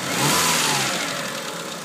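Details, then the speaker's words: Eagle Talon engine blipped and settling, with a light, fast tick following the revs; lifter tick suspected, said to be fixed by 3G lifters, not confirmed. "a lifter. Those 3G lifters will fix it, but go ahead."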